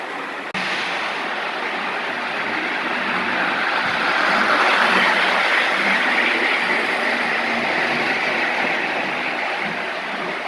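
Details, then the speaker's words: Lionel gunmetal 1666E locomotive, run alongside an older loco pulling passenger cars: steady even whirr with light clicking near four beats a second, no stumbles; runs smoothly. "all right I think they run pretty good um that really smooth R runs really good P's pretty good too"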